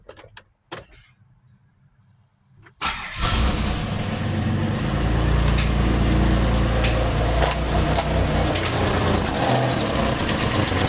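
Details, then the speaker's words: 2006 Pontiac Grand Prix supercharged V6, swapped engine first run with exhaust just hooked up, no MAP, MAF or O2 sensors: cranks, catches, then loud raspy idle with puffing exhaust-leak chuff up front; no knocks or ticks. "Definitely got an exhaust leak right there."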